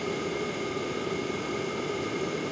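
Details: LF Bros N4 5 kW diesel heater during its first burn-in run, outlet air about 50 °C, exhaust pipe about 272–275: a steady, even roar with a constant fan hum, no knocks or surging, running cleanly.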